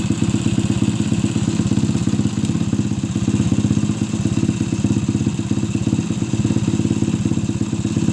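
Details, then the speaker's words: Suzuki Shogun motorcycle converted to trail style for heavy loads, with no air filter, after cleaning a clogged carburettor and adjusting the air screw: small steady single-cylinder thumping near three pulses a second, no stumbling; normal idle. "Kita tes mesinnya ya, setelah membersihkan pada karbu yang terasa tersumbat."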